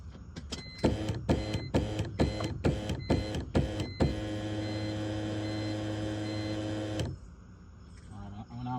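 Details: BMW E46 with M54 engine: the starter churns in even pulses about three per second, then a steady whir, but the engine never catches; cranks but won't start.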